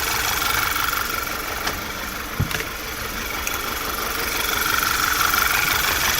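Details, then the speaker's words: 2011 VW Tiguan four-cylinder at idle, cylinders 1 and 3 misfire after new coils and plugs; recurring stumble about three times a second over the engine hum; broken coil connector locks suspected as the cause, not confirmed. "i notice is that you see cylinder number one and number three both of them the tab firm the lock is broken this one is here and this one is here so i don't know if this is a coincidence or i don't know if this is the reason why we're getting a misfire here"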